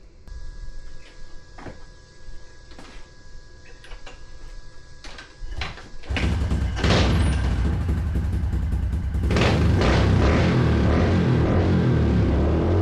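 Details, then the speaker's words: 2015 Honda CRF110 pit bike: a few light clicks, then the little single fires and settles into a loud, crackly, hard-barking run; healthy normal running, just a loud exhaust. "She barks, that's for sure."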